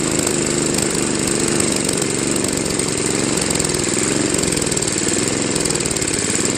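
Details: Craftsman Trac-Drive snowblower, Tecumseh Snow King 5.5 hp 195 cc engine, carb cleaned after storage: runs fast and rough with slight hunting at low idle; surging persists, later fixed by idle screw adjustment.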